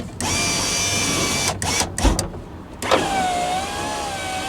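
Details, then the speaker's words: Van driver's side power window after replacing the motor, run with the engine idling for proper voltage: a clear, steady whir as the glass travels, louder than the old motor but working properly. Normal operation. "so this motor is definitely a lot louder than the other one that seems to work all right cool"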